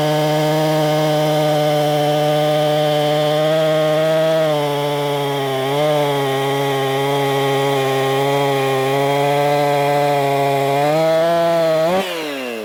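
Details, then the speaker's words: Husqvarna 262XP chainsaw after cleaning and carburetor tune-up, cutting wood: strong steady high buzz dipping slightly as bar bites and recovering, clean even firing; runs healthy under cutting load. "I've already got it tuned up pretty darn good she's running good let's do some cutting foreign"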